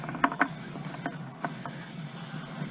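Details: SM465 transmission removed from a 4x4 truck, top off, gears turned by hand: irregular sharp clicks and knocks; reverse and a synchro have chewed edges, glitter in the bottom, first noisy, second quiet; something catching, cause not confirmed.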